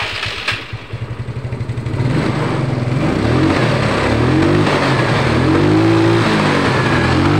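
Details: Yamaha Mio scooter after carburetor service with the vacuum fixed using a safety pin, plus spark plug and air filter cleaned; electric start cranks, catches and settles, then revs up and back cleanly with no stumble or bog: normal revving.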